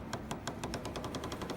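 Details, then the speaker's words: Mercedes GL/ML W166 front shock absorber, frost-covered at minus 33 °C before warming, being worked: sharp rapid clicking knocks about six a second; the shock absorber itself is the cause of the cold knock. "На морозе стойка стучит. Сейчас покажу вам амортизатор, пока он не нагрелся."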